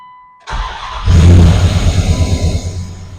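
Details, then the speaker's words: 1999 Dodge Durango after new distributor pickup, plugs, wires, cap and rotor: brief crank, quick catch, steady even low idle, no misses or knocks; normal start and idle. "it actually uh runs pretty good whoa might blow the camera down there yeah she sounds like she's running good good I did something right"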